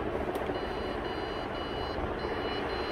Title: OLD PC BEEPING SOUND WHAT'S ISSUE?